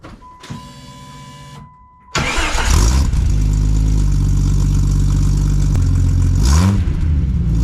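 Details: Jeep ZJ starting after a tune-up with new plugs, wires, distributor cap, rotor, alternator and belt, plus a replaced transmission; the ignition coil is not yet replaced. A chime, then a short crank catches quickly into a smooth, steady low idle with no misfire.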